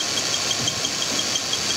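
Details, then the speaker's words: 2002 Ford Taurus at idle with P0301 cylinder 1 misfire (weak ignition coil): faint sharp high chirp about six times a second from the cam sensor; distributor needed. "you can hear the little cam sensor chirp on this engine too we're going to need a distributor for sure"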